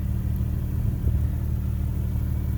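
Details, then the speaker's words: 2010 Infiniti G37 Type S coupe, 6-speed manual, at warm idle with a new Top Speed Pro-1 dual exhaust: deep, steady low drone with an even pulse, no ticks or misses, slightly deeper monotone than the stock exhaust. Normal idle. "And even right now it's at a warm idle. You can slightly hear the difference in the deep monotone as opposed to the stock exhaust."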